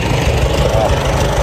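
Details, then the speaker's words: Farmall A tractor running after over 10 years sitting, with new radiator, fan, belts and hoses: deep, even low thump at slow steady idle, no misses or knocks: normal idle. "And I bet old Roger, I bet he's looking down on us, smiling right now to hear this old girl run again."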